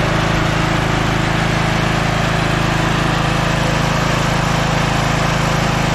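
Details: Scotts 15/42 lawn tractor single-cylinder engine, fired right up after jumping the starter, carb not cleaned: loud, even chug at steady speed, no misses or knocks; running smoothly.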